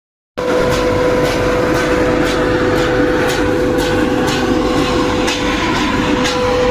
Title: SEAL AIR FAN ABNORMAL SOUND #youtubeshorts #trending #ErSaab